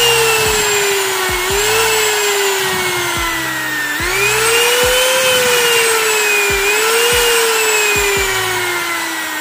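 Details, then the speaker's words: Wood trimmer/router before repair, running: motor whine keeps sagging in pitch then jumping back every second or two, stuttering and cutting out intermittently; traced to a faulty on/off switch. "permasalahan trimmer ini adalah ketika dinyalakan itu kadang mati Kadang hidup tiba-tiba mati kadang tiba-tiba nyendat-nyendat"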